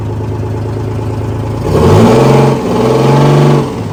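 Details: Detroit 6V53 two-stroke diesel in a Kenworth/RFW 6x6 off-road garbage truck, after sitting at least four years: deep drone holding a steady idle, revving up cleanly twice and dropping back smoothly; healthy running engine.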